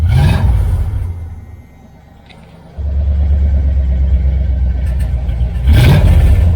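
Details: 1978 Dodge Aspen R/T V8 with newly installed, welded exhaust system, revving: deep, even rumble that swells cleanly on each throttle blip and drops back; exhaust sounds solid and leak-free.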